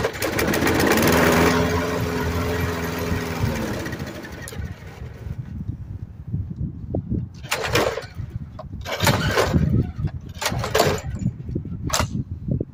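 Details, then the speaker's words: 1990s Murray 5 hp Briggs & Stratton mower after a carburetor swap, primed: it starts and runs a few seconds, then dies, followed by repeated pull-cord tries with brief sputters; hard starting and stalling, fault not found. "Well, guys, the carburetor works. As you can see, the engine will start. I think the longest I got it to run was about a minute, but yeah, it's not."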